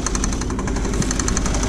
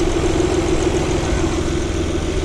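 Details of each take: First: 2000 Saturn L300 3.0 L V6 after a timing belt job, idling. Rapid, steady knocking rattle at the front of the engine, suspected from the power steering pump pulley; accessory belt removal is planned to confirm. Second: Saturn L300 (2000), 3.0 L V6, after timing belt job, running briefly with the accessory belt removed to isolate a noise: steady even idle, low hum, no whine, chirp or rattle; noise suspected from power steering pulley or belt slipping on crank pulley.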